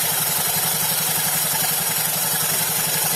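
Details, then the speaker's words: Honda Beat FI Eco scooter, CVT cover open, engine running: coarse gritty rumble pulsing about four times a second from the CVT; V-belt in good condition but edges uneven. "Nah, jadi permasalahan di CVT-nya itu suaranya itu kasar ya."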